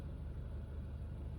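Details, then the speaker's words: 2015 Honda Fit at 88,000 miles, after valve adjustment, intake valve cleaning, oil change and VTC spring replacement; heard from inside the car. Low, quiet, steady idle with no knocks or misses, barely noticeable. Smooth, healthy idle. "it's running you can see it's running it's idling and it's quiet and it's smooth and it's like if you're sitting in the I'm sitting in the car right now and I could barely tell that the engine is on"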